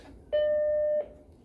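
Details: Macintosh Plus (dealer-upgraded earlier Mac) at power-on with a 3.5-inch drive connected and the faulty drive disconnected: one clean steady mid-pitched startup beep under a second, no repeated drive-eject clatter; normal startup, asks for disk.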